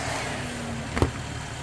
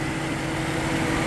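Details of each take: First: 2010 Ford Mustang with intermittent rough running, engine computer (PCM) heated with hair dryer at idle: steady idle, then sudden click and engine jump as fans cut out; overheated PCM dropping outputs. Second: 2010 Mustang with intermittent rough running, PCM suspected, heated with a hair dryer and then sprayed down. The A/C compressor is now turning, giving a steady idle with a constant mid-pitched drone and no misses or surging. Normal idle with the compressor running.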